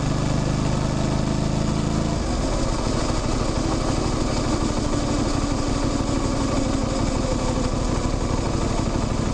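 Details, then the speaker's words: Motorcycle riding: engine pulls up through the revs, a light chain chirp rises with road speed, and there is a clunk at the gear change. The rest is engine, gearbox and clutch noise; all normal. "Ten świergot narastający wraz z prędkością, to jest właśnie dźwięk łańcucha. Te stuki to moment przełączania biegów, a reszta to po prostu to, co dzieje się w silniku, w skrzyni, w sprzęgle."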